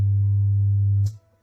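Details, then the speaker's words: Subwoofer/radio amplifier making a funny noise that affects the whole system. Loud steady low hum with a raspy edge, then abrupt cutout. Fault is the old 2030 amplifier chips, being replaced with new ones, starting with the tweeter one. "Okay, so this radio is producing like a funny noise. So that's the problem for this thing."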